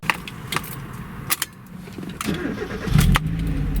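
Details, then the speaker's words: Car restarted warm after idle speed was readjusted and the throttle position sensor repositioned, in mild mid-50s to low-60s weather: handling clatter, then the engine catches and rises to a steady idle with no stumble; normal restart, no malfunction. "No, it didn't do it. No, it did exactly what it's supposed to do."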